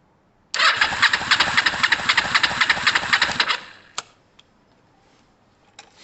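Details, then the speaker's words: Kawasaki ER-5 twin, left cylinder compression test, cranking with throttle wide open. Brisk, even cranking at about four beats a second for three seconds, reading 174 against 176 on the right: strong, balanced compression, valves OK. "please that's great news guys we have a very healthy engine there 175 um very healthy engine uh it also shows me that the valves are okay at this stage"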